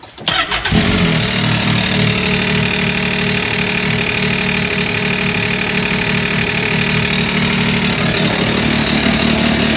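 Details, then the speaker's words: 2023 Can-Am Maverick X3 DS Turbo (135 hp), owned about a year, oil change, engine started right after the oil refill: busy, uneven rattle over the idle for several seconds before smoothing out; owner unsure of cause, knock went away. "I do not like the way that sounded what was rattling let's try it"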